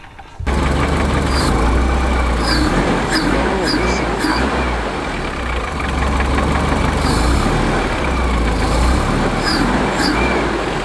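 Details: Volvo 740 wagon after timing belt repair: starts and settles into steady, even idle with smooth low hum, no knocks or misses; healthy.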